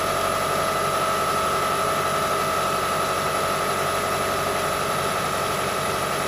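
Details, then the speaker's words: Engine idling and revved after new drive belt tensioner, idler pulley with noisy bearing, and new belt: steady, even idle with faint constant high tone, no chirp or rattle from the belt drive; a slight belt squeak may remain; normal idle. "So the noise is gone, like the noise before. Now I try to rev up and to listen the noise. All good, guys."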